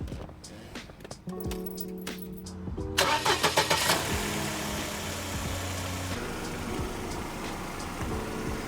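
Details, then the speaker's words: Engine that rattled at idle and on acceleration, after replacing the belt tensioner damper: starter cranks, engine catches and settles to smooth idle with no rattle; fixed, sounds healthy. "what you hear that the sound is much more better now"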